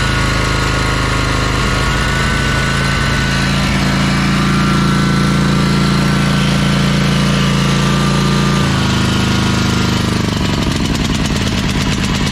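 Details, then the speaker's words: Ferris 52-inch commercial hydro walk-behind mower, twin-cylinder engine after valve adjustment: uneven, lumpy beat sagging under load, still smoking, lacking full power; one cylinder starved by a carb o-ring blocking a fuel jet, before carb cleaning. "that's running on that cylinder a little better but not perfect still smoking and it doesn't sound right when you have a load on it it's definitely not getting full power"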